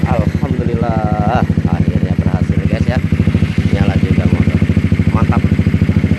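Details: Honda CBR150R LED-fairing model that was hard to start after a botched earlier repair, running again after the fix: even, steady firing pulses at a settled idle with no misses or knocks.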